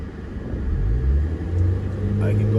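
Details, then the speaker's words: 2005 Scion xB manual, formerly in limp mode below 2500 rpm with codes P0351–P0354, after an ignition coil connector/wiring fix: the engine climbs smoothly past 3000 rpm with no stumble or bogging, and the check engine light stays off. "3 000 rpms with no problems checking engine light doesn't come out"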